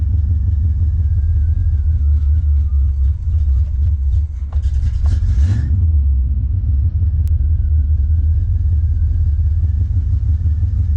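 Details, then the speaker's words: Freshly tuned 1980 custom Camaro V8 just after cold start; deep steady rumble at even idle with brief throttle blip, smooth and clean; throttle response much improved over before. "The throttle response is way better. I don't know if you could tell from the previous videos with it, but listen to it now. Way better."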